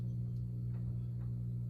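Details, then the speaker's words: Rowe AMI 100-G Starlight Laserstar CD jukebox amplifier, refitted, humming loudly at a constant pitch of about 120 Hz; owner suspects aging leaking capacitors, possibly a light humming, unconfirmed. "okay people so I put a amp back in you can hear it humming like crazy in"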